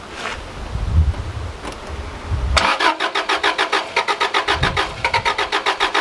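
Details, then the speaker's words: Subaru Liberty RS AWD turbo manual parked 10 years: cranking catches into a rough uneven chug about three to four beats a second, never settling to idle, wanting to stall. Owner suspects injectors starting to unblock; unconfirmed. "it sounds like it's starting to unblock the injectors or something I don't know"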